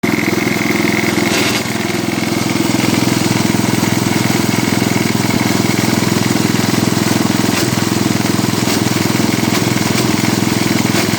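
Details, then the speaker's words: Cub Cadet 86 small single-cylinder engine idling: steady fast chuff with an odd irregular knock occurring randomly, source unknown; head gasket also appears to be leaking exhaust; intermittent engine noise. "well so far I can't figure out what that crazy sound is just been kind of happening randomly"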